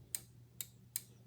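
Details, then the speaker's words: PCB relay test on bench: four crisp sharp clicks in under two seconds over a quiet hum as the coil energizes; coil and contacts working fine. "so the contacts of this relay are just fine together with the coil you can hear the relay making noise"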